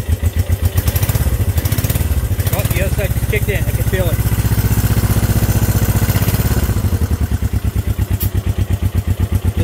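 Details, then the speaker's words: Honda CB350 twin on first start in 13 years, at idle: lumpy, uneven exhaust beat about four pulses a second, running on only one cylinder; owner suspects the other side isn't sparking at the points. "running on one side not full guys this thing is idling"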